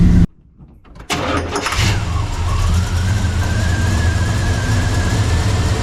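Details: 1985 Chevy C10 Blueprint 350 V8, hot after driving, restarted after dieseling on shutoff: short crank, slight choke, then slow, loping idle with a faint rising whine; timing about 15° advanced, low idle from over-advanced timing.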